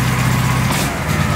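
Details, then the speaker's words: Duck boat engine after fuel line and filter work, left running to check for stalling and leaks: low, steady drone with an even beat and no misses or stumbles; running smoothly, normal running. "Better check for some leaks, too. Looking good here. I can feel it running. We're up and running, baby."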